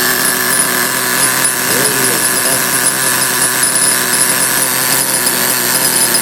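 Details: Small nitro RC car engine, primed with nitro fuel, glow starter left on during warm-up: loud, steady, high-revving buzz holding evenly with no misses or sputter; running smoothly.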